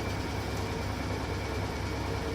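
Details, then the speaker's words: Servis Gem 600 washing machine after door handle repair: deep, steady roaring rumble with a constant low drone like a jet engine, no knocks or scraping, heavy machine spinning at full speed; normal spin cycle. "It's like a jet engine. You hear that? Like a fucking jet engine. Beautiful. I love that sound. So calming."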